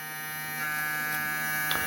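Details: Cooler motor converted into a 12 V to 220 V generator, powered from a 12 V battery and lighting an LED; steady electrical buzz with even, unchanging pitch and no knocking, running smoothly.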